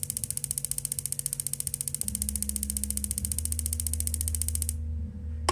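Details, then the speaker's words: Paloma gas water heater with its gas valve tested after repair: rapid steady ticking under a low hum for about 8 seconds with no flame, then a sharp clack as the solenoid releases. The valve holds and releases normally. "Oke, saya pakai hitungan 1 2 3 4 5 6 7 8 sekitar itu 8 detik tidak ada api maka strum ke selin unit akan dilepas ya terdengar tadi cetuk itu berarti kembali ini berarti sudah fungsi"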